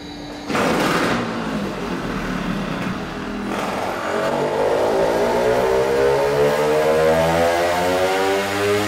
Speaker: The engine won't rev and makes a "pffffffr" noise. It cannot breathe, it will not rev, so this main jet is way too big.